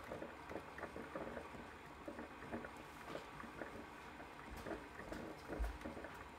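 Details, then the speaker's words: Ninja coffee maker after five-beep stopping fault, fixed by turning upside down to drain trapped air from water lines: soft gurgling and dripping trickle steadily, no beeps, brewing normally. "let's hope it work this time it's brewing let's give it a few seconds see if it keeps going"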